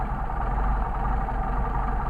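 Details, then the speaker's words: Mercedes 190SL rebuilt Solex carburetors, second carburetor's idle mixture screw adjusted from a 1–1.5 turn start until idle degrades. Uneven, slightly lumpy idle with a low wavering beat and air rushing into the throat; lean stumble. "them time to degrade you can hear it you can also hear the air rushing in there more into the throat"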